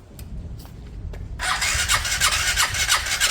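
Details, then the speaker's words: Piaggio Fly 125 scooter after an engine swap, first start attempt, fuel-injected with fresh oil. A few clicks, then it fires at about 1.5 s and settles into an even, steady beat; smooth, normal start. "I think got that sounds smooth enough"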